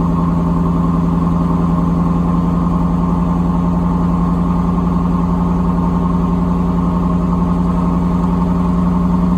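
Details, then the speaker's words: 1992 Camaro RS, Chevy 305 V8 with 700R4, first start after months sitting; fast, steady idle with an even low beat and no hunting, sitting well above a normal warm idle. "it was like it's been so freakin long it's idling really high but it's alright"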